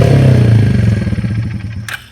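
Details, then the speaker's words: Yamaha Breeze 125 quad, first run in 5 years after carb cleaning, restarted: revs up high and falls slowly instead of settling. "But I mean, let's see if it starts back up quick. It revs up high."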